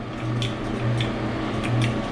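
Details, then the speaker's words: Smith & Mills shaper first power-up: low steady hum swells when the rapid-traverse motor switch is hit but the motor never spins up; main motor runs smoothly. "I can hear the motor humming when I hit the switch"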